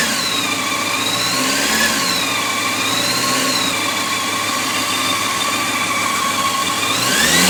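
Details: 2004 Honda CBR600 F4i four-cylinder at steady idle: light fast ticking riding over the engine; engine ticking, owner suspects the cam tensioner.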